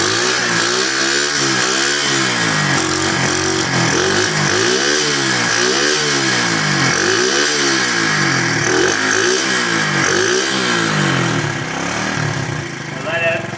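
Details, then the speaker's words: KC Pep Boys pit bike, about 15–20 years old and air-cooled, started on choke after sitting 3+ years, cold at about 40°F: it buzzes and is blipped up and down about every 1.5 s, crisp and even with no misfire. Normal running and revving. "It's kind of cold out right now. It's right about 40 degrees, so sounds like it's running."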